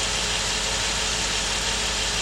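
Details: 2005–2019 Nissan Frontier petrol engine idling rough with a faint irregular stumble under a loud hiss, code P0300 random cylinder misfire, during a power balance test killing one cylinder at a time.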